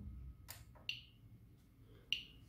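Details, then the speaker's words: Geiger-Müller counter board with Arduino Uno and Nokia 5110 LCD, just powered on: a few sharp, random, sparse ticks over quiet hiss as the LED blinks, normal background radiation counts. "and then here you will see the LED blinking and also I guess you hear the sound"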